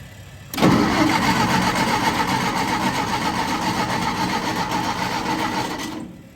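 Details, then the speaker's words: Willys-powered 120/240V 52 A Army skid generator, old fuel tank refitted, testing whether electric fuel pump holds pressure and carburetor needle seats: starter churns ~5 s with uneven chuffing, never catches; cranking no start, cause unknown. "nothing yet well some more investigation is definitely needed but we did get to see it run"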